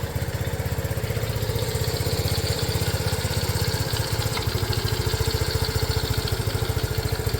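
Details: Restored Honda CT90 started with one kick, fuel mixture screw not yet adjusted: quick even putter at idle with steady firing pulses, no knocks or misses; the little single runs cleanly.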